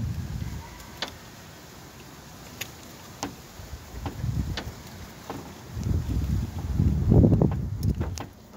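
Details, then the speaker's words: VW Golf Mk1 no-start, listening at the distributor while cranking after a part left off was refitted: crisp snapping ticks about once a second over cranking; spark present again. "Yeah. Okay, I've got fire. Okay guys, sorry for that, boo-boo. I've got fire now."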